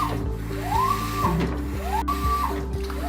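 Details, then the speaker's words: GE top-load washer agitating after fixing a loud grinding noise by raising the front edge so parts no longer scrape, no parts replaced: steady low hum, motor tone swelling each stroke, no grinding. "i'm gonna put the door on and make sure that it still works but so far it is so nice to have this working without the grain sound"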